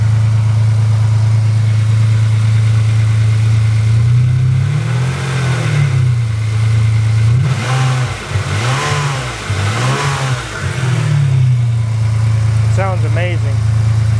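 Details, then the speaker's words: 1995 Ferrari 456 V12 after service with rebuilt water pump, new timing components, belts, pulleys, tensioner, O2 and crank sensors: smooth, even idle with clean throttle blips that rise and settle quickly. "So, didn't that sound amazing? These these V12 Ferraris sound really, really good."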